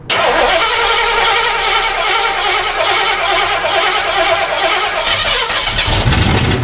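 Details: 1960s Ford Galaxie project, brand-new carburetor rebuild kit, timing just advanced, in park: fires up and runs loud and lumpy with uneven surging, never settling; rich running, power valve suspected blown, carburetor not yet adjusted.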